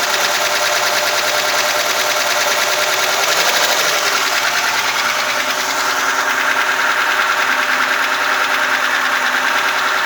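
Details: VAZ 2106 engine after a full rebuild: fast, light metallic ticking rides steadily over the idle from the top of the engine, rocker arm tapping.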